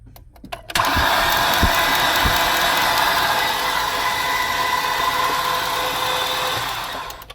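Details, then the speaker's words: Porsche Macan GTS cranked with the spark plugs out and fuel pump fuses pulled, to blow out carbon debris after intake valve and port cleaning: a fast, even starter whir of about six seconds with no compression chuffs; normal. "how quick the crank goes it's you don't hear that because we have removed the spark plug out there's no compression to actually do all that"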